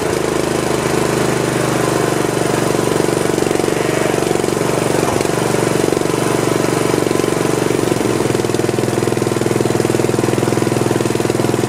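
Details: Old Snapper 1438S rear-engine riding mower after carburetor refitted and fuel flow restored: single-cylinder engine catches and settles into steady even chug about three beats a second; running normally.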